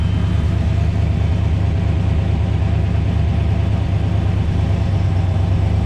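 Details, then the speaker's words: LS 5.3 turbo engine in the FrankenKart after a new harmonic balancer, noise unchanged: heavy idle rumble with faint irregular knocking about two beats a second; owner suspects piston slap, and metal was later found in the oil. "Alright guys, so we got the new balancer on there, but it's still making the noise. So I'm gonna fire it back up for you guys."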